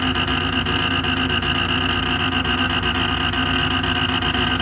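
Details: Creality Ender 5 Pro 3D printer on first use, Z axis forced toward bottom via override: harsh gritty grinding with a rough catch two to three times a second as Z motor strains, bed jammed at top near extruder; fixed by manually rotating Z down.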